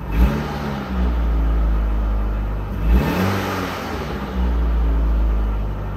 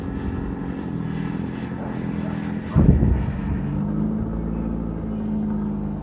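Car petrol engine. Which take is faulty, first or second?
second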